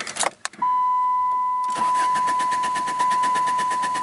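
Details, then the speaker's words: 2001 Saturn coupe with earlier EGR valve stuck-open history, sitting about a week in rainy weather with a recently filled tank: starter spins the engine at an even cranking beat under a steady chime but it never catches; crank, no-start, cause not confirmed. "maybe uh the owner did the right thing and got rid of it because it's a crank no start"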